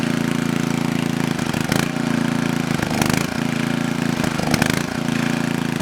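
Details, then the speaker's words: Coleman Powermate Maxa 5000 ER generator on half choke idles rough, sagging and catching every second or so. The owner suspects it needs a carb adjustment or cleaning. "Alright, so that tells me we either need to make a carb adjustment or we just need to clean the carburetor."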